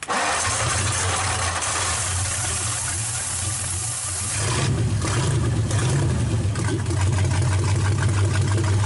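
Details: 1931 Ford roadster with new progressive carburetor linkage, idle circuits shut and adjusted, vacuum advance working, fuel lines plumbed: cranks and catches quickly, settles into a steady low rumble, then picks up cleanly with throttle.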